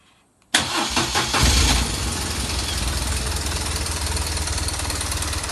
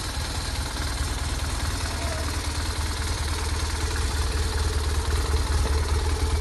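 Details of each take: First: BMW R 1200 R boxer motorcycle: hard clattering rattle right after start, then settling to an even idle; unchanged with clutch pulled or released; cam chain tensioner piston found loose and not working, tensioner to be replaced. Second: BMW R 1200 R boxer motorcycle after cam chain tensioner replacement and reassembly, started cold: steady low idle with an even beat and only light valvetrain clatter, running smoothly with no odd noise.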